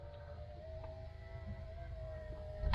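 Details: 1990 LHD Range Rover 3.9, right front driver's door electric window: steady, even motor hum as the glass travels, ending in a solid thunk at the stop, working normally.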